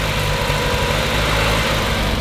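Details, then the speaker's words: 30-year-old petrol car started cold after about a year sitting: slightly uneven idle with occasional stumble, a mild misfire, revs kept up to avoid stalling; cause unconfirmed. "Is there a slight misfire to it still? Yeah. That's why when it started up, I kept the revs up in case it fully went down."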